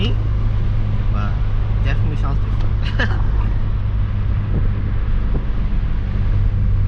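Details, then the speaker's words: Car cruising after an exhaust leak repair: a steady, deep, even exhaust rumble with no ticking or puffing; sealed and healthy. "you guys can hear my car yeah it sounds way different from the other videos bro from the front the cruise video"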